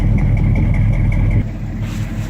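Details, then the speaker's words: 1969 Dodge Charger 500 Daytona with original numbers-matching V8: deep idle with a faint, quick ticking puff on top from an exhaust leak. "You can still hear that exhaust leak coming out of the car."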